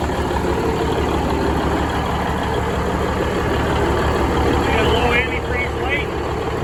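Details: Budd RDC 9114 railcar diesel, engine No.1, after transmission oil cooler changeout (coolant leaked into transmission oil), transmission flushed, fluids refilled. Steady, even low rumble with smooth rhythmic beat, no knocks or misses; normal idle.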